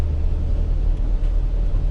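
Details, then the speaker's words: Van driving on road, warmed up and holding temperature: low, even engine drone under road rumble, no knocking, whistling or roughness; gearbox, engine and turbo sound healthy, no smoke, though gear shift is poor. "But the gearbox, engine and that sounds really good. Turbo sounds healthy. Not smoky or nothing."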